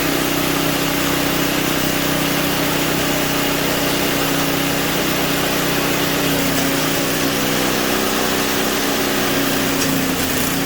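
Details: Simplicity 560 snowblower after tune-up with new oil, new spark plug, cleaned carburetor and fixed starters: the small single runs at a steady, even buzz with no misses, surging or knocks, a healthy engine.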